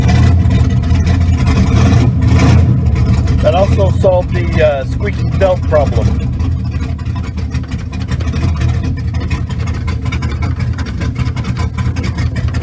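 Smooth, steady engine note with no squeal or chirp from the belt; the charging system sounds healthy.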